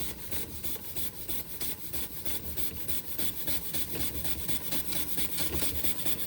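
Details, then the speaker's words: Josef Falk 456 overtype model steam engine, non-original burner, cleaned and oiled after it initially would not run on air: quick, even chuffing with a light rasp and no knocks, running as fast as it can go. "It's clean. And it's as fast as it can go."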